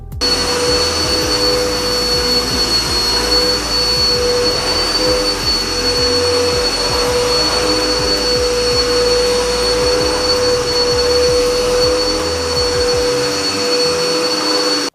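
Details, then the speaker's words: Vacuum cleaner running after being cleaned and reassembled for the first time: strong, even motor roar with steady high whine, no rattles or surging; normal running. "And so I was really concerned if I was able to put everything back in place and hear that vacuuming sound. But it worked out wonderfully, and it does a fantastic job."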